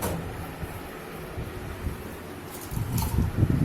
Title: Panasonic Fuzzy NA-F551PV washing machine vibration & jumpping problem suspension rod